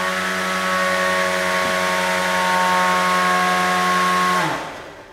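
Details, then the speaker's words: Beetleweight combat robot spinner weapon after pulley redesign, drawing 31 to 32 amps at top speed: steady high whine at one even pitch, then winding smoothly down with no rattle or slip; normal weapon spin. "so it looks like at top speed we're hitting 31 to 32 amps which is quite a bit for a beetle"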